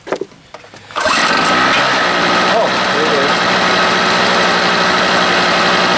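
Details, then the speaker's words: Harbor Freight 800 W generator starting after a homemade head gasket was fitted (a loose head bolt had burnt through the old one); catches after a short pull into a high buzzy drone, slightly rough. "this one never did run very smooth at least now I can get some uh power going in the tiny house on Wheels hopefully it's really not very smooth oh well"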